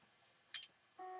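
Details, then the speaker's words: Seagate Barracuda external drive after swapping in the PCB from a new replacement drive: a soft click, then a steady mid-high beep instead of a normal spin-up; recovery unsuccessful, owner suspects the drive itself is burnt. "it's beeping our recovery is unsuccessful"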